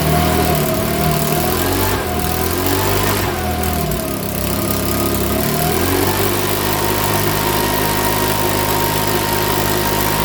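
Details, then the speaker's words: Makita BHX2500 four-stroke leaf blower, after valve clearance and timing check, NGK plug checked, airbox off: hunts up and down for several seconds before settling; rough running with surging, owner reckons it needs a new carburettor. "all right folks so that's running now so we're it's running but here i reckon it's gonna need a new car on that"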